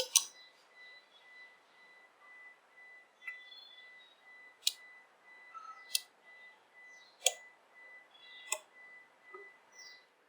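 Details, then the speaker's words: 2008 Toyota Prius, testing left headlamp bulb (high beam works, low-beam filament dead) before refitting: crisp single clicks about every second in a quiet space as the headlamp relays switch on and off normally. "You can in fact hear the relays clicking when you turn it on and off."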